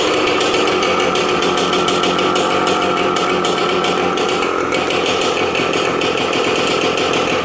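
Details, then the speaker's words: 18-year-old Yamaha RT100 two-stroke, cold start with no muffler fitted: loud, harsh, rapid crackle holding steady, really noisy for an old little two-stroke; healthy running through open exhaust. "Then you take the whole thing out and boom, boom, boom. Makes it sound really noisy for, for an old little two-stroke."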